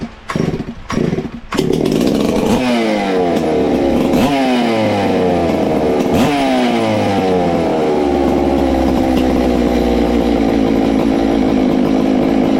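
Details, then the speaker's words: Ported Farmertec MS660 two-stroke chainsaw, 22 degrees blowdown, extra muffler cover port added, timing checked, tuned with tach: blips then screams up, holds sharp clean high pitch, much louder, over 15 thousand rpm. "wow it's got a lot louder hopefully we've done something"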